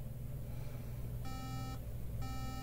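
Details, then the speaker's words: 2013 A1466 13-inch MacBook Air, logic board 820-3437, fails to boot: the fan is spinning under long, even three-beep codes, indicating a RAM fault. "okay so the problem with this one is tribute what three beeps means that's a really old issue and it's um that's a ram issue"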